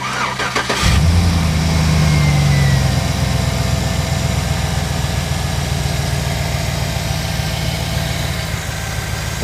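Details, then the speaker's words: 2009 Chevy Silverado after a pulley was found with a hose listening tool: cranks, catches and settles into a smooth, even idle. The earlier whine, thought to be power steering, is gone. "I don't hear no power steering wine no more"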